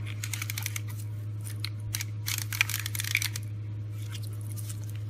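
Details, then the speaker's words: Ford steering clockspring, removed and turned by hand: loud, irregular crackly clicking and scraping from a unit breaking up internally; it should be quiet. Symptoms include dead horn, airbag light and steering wheel controls. "hear all that like clicking noise shouldn't be making that noise at all"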